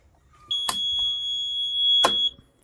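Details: CF Moto 520L / Segway Snarler 500 ATV parking brake reminder: a single steady high-pitched beep lasting nearly two seconds with a couple of clicks, still sounding after the seat sensor is disconnected.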